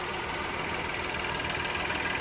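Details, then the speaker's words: 2013 VW CC 3.6 direct-injection engine, freshly rebuilt, just after first start: quick, light, even injector ticking over smooth idle at steady rate; normal direct-injection tick, engine purring healthy. "Listen to that. Direct injection. Oh, it's purring. Oh, she's purring."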